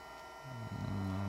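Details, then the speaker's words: Mercedes S320 throttle actuator after repair, run with the other units shut down so only it is heard: a low steady buzz with a faint shifting hum, meaning the actuator motor is driving properly and the throttle is active. "know if you hear that little kind of like buzzing noise on it so that is the working throttle activator that's how it works"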